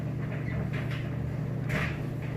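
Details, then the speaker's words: Maytag Bravos HE electric dryer on normal auto, high heat, light load: low, even motor hum with soft thumps of tumbling clothes, no squeal or scrape; drum runs quiet and smooth. "we'll just hit good and as you can hear nice quiet smooth operation"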